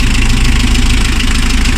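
Steady, even low idle that holds its speed with the accessories switched on; no knocks or misses, so it sounds healthy.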